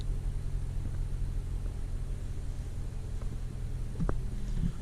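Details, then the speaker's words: 2013 Dodge Dart after replacing the noisy power steering rack with a used junkyard rack: soft low rumble rolling slowly into driveway, no whine, clunk or groan from steering; quiet, healthy. "let's see how it drives no noise so that's fantastic this is my first actual drive but i'm just moving just into my driveway"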